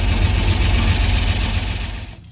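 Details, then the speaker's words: 1955 Ford F-250 sat over 40 years, primed and started, running a minute or two to warm: steady low rumble with even idle beat, no misses or knocks; normal idle. "okay it is running now so he will be here anytime i'm gonna let it run for just a minute or two and it'll be ready to fire up when he is"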